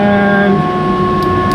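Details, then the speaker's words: 1977 Pontiac Trans Am on max AC after adding a custom idle stop solenoid and a 12-inch condenser fan, because it stalled when AC kicked on: even idle under a steady fan hum; fan and idle stop working. "And think I hear the fan going out here. Yep, fans going good."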